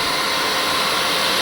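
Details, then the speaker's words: BMW G310 R radiator fan motor after brush cleaning, bench-run on 12 volts: a steady, even high-pitched whir with no rattle or rising tone; the repaired fan runs normally. "I'm okay with that noise. Uh-uh. That's good."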